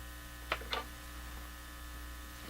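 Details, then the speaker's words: Canadian General Electric C67 tube radio on an outdoor antenna: only a steady low hum at high volume, with a couple of clicks and no station. The hum follows the volume control; suspected high-impedance input to the tube, source unknown. "So that sounds, well, the volume control is voluming this tone, this hum. But to me, what that sounds like is a high impedance input to the tube."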